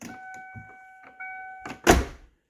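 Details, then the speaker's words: 1990-1997 Lincoln Town Car door: chime, clean latch release, one solid thunk with no rattle or click; normal door open and close, unlike a worn-bushing door that clicks and must be slammed. "see that how effortlessly it is that's your typical Ford Lincoln Mercury door"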